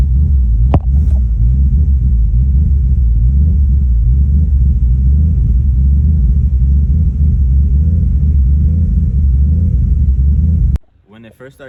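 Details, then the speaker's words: Ford Mustang that was bogging and misfiring idles deep and unevenly, stumbling about four times a second; a misfire, with vacuum leak, IAC valve, TPS, air/fuel ratio and MAF considered. "I wanted to talk to you guys about how my car was bogging and it was like misfiring and stuff."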